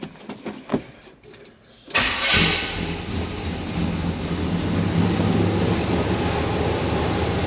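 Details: 1968 Chevelle, freshened 383 stroker V8, started through a kill switch: brief crank, then it catches and settles into a deep, steady, lumpy idle with no knocks or misses. A healthy start.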